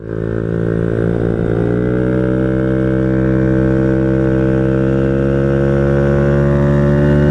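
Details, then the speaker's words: Honda Ruckus after valve adjustment and fitting a wider Gates belt, slider guides fitted backwards: engine revs climb and keep rising without settling as the variator fails to shift up properly. "it yeah I'm going to blow up it's not working something's not sliding something's not moving correctly"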